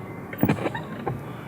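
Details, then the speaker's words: 2017 UAZ Patriot clutch pedal squeaks as it is pressed: the dry return spring rubs metal-on-metal at its mounting points with no lubrication; fix is greasing the spring-to-body contact points. "Как правило, крепит вот эта вот пружина в этих местах, здесь непосредственный контакт железом и никакой смазки, соответственно, нет. Ну, как вы слышите, вот он скрип."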